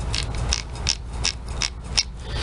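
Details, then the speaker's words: Whirlpool washer during spin: rasping clicks about three times a second over a low rumble as the tub drags the agitator; transmission splines rubbing from worn cams, stops when agitator is held by hand. "una vez que suelta uno el agitador empieza a dar vuelta por el mismo impulso del tambor se lo lleva y empieza como este tastático empieza a producir ese roce"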